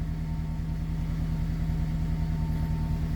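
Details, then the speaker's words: 2003 Honda CR-V (2nd generation), 334 (stated) kilometers, after fuel pump relay fix cured crank-no-start and stalling: steady, even idle with smooth low hum and no misses, knocks or hunting; normal idle. "okay on the CRV fuel pump relay so this car has already 334 kilometers but it's still running"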